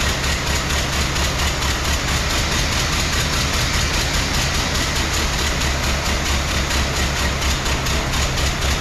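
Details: 1914 Ford Model T with hard starting: uneven loping beat near two per second at steady idle, one firing missing each cycle; engine running on three cylinders.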